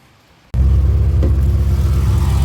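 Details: Race car running without an alternator: it fires and settles straight into a deep, steady, even rumble with no knocks or misses: normal running.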